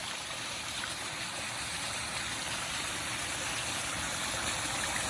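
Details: Rebuilt pondless waterfall feature, pump just plugged in: steady, even rush of falling water with no surging or sputter; pump delivering smooth, full flow.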